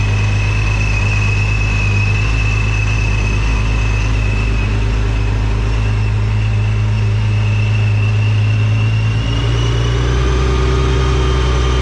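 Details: Nissan 370Z with a newly installed Soho supercharger kit: strong steady idle with a clear high blower whine riding on top, engine smooth; normal supercharger whine at idle.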